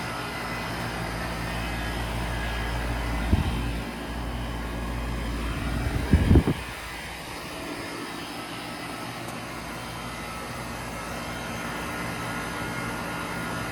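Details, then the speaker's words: Outdoor AC condenser during home inspection, thermostat set to 50, came on right away: quiet steady low hum with brief handling bumps, no rattles or squeals, normal operation. "so in this case this one came on right away sounds pretty good nothing crazy"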